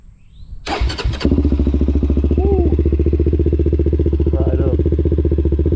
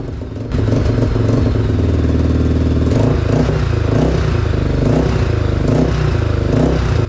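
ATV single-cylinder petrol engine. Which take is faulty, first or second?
second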